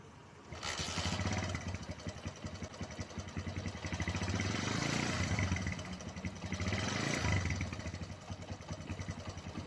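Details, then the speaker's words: A Honda GL Neotech motorcycle engine is revved in waves. A rough metallic cam chain rattle is quieter at low revs and grows louder as the throttle opens. "Hai tapi ketika kita Pelankan rantai keteng itu juga akan gelar gratis soalnya gak Ngecek cek ecek-ecek itu Tapi ketika kita gas suara semakin gede"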